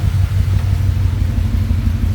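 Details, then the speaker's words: Coyote V8 swapped into GT500 at first start, cam sensor circuit codes and VCT sensors not reading: deep even low rumble, steady beat, no knocks or misses, slightly smoky; normal idle. "oh yeah that's smooth idle little smoky but hey whatever"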